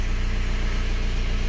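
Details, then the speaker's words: BMW 1 Series (118d/120d) N47 2-litre diesel that had a bad knock and red oil-pressure light, now after the fix: low, even, smooth idle with no knocks or rattles; engine sounds healthy. "Holy smokes, do you hear that? Engine sounds amazing. No error whatsoever."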